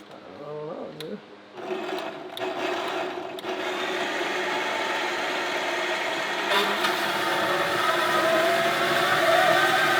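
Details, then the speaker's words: Wen benchtop metal-cutting bandsaw, test run after a guide-bearing fix; the motor spins up to a steady whir, then a sudden rattling clatter as the blade jumps off its wheel again. "ok so here's what we're gonna do since this is clearly not working I think the solution here is based off something that my friend Kevin Lizotte did"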